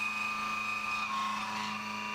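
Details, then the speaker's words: CNC roughing an AR15 gasblock, variable width of cut up to about 1/8 inch, spindle lowered from 1900 to 1700 rpm: steady even cutting tone with odd brief chirps; chatter largely gone, much better overall. "a little chirpy here and there but much better overall"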